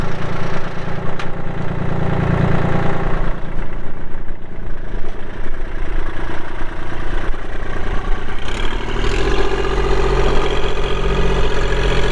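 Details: 2016 Kubota L2501 4WD hydrostatic compact tractor with LA525 front loader, 162 hours, idling after start-up: steady, even low diesel rumble with no knocks, misses or hunting; a smooth, healthy idle.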